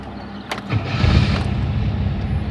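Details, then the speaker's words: Chevette, cold morning at 12 °C: a click, then a short harsh grinding whirr while cranking before the engine catches; intermittent starter motor noise. "bom dia galera mês segunda-feira e sete da manhã 12 graus então ainda cheguei então vim aqui na oficina hoje a tentar arrumar o barulho está fazendo um chevette barulho no motor de arranque tenta ligar pra mostrar pra vocês faz um barulho mas é aleatória não é toda hora"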